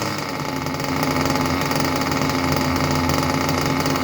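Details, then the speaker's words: Junkyard Mutt nitro engine on a break-in stand, first start after a needle adjustment from rich, exhaust into a smoke bag: fast, even buzzing rattle at steady pitch with no stumbles or surging; normal idle. "Boy, I tell you what, that idle sounded pretty darn good. That idle sounded pretty darn good."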